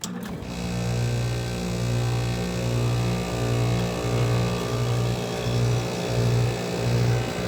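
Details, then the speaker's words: Carrier window air conditioner, running. A low hum pulses in rough, uneven surges about 87 times a minute, shaking and rattling. Owner suspects the broken louver; source unconfirmed. Rattling while running. "What the hell's shaking back there? There it is, it's running. Oh God. It's probably because of the louver broke on this one, this carrier."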